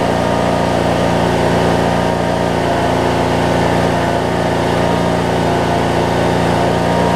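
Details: 2007 Craftsman LT2000 riding mower with a single-cylinder Briggs and Stratton engine, sat a while and backfired when starting, now running; holds a steady, even idle with no popping or hunting; normal idle.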